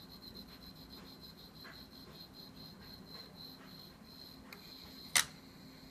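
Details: Z-15 gimbal with GH3 camera after initialisation: a steady high-pitched buzz with a thin whine over a low hum from the motors, now on every startup after working fine for 20 flights.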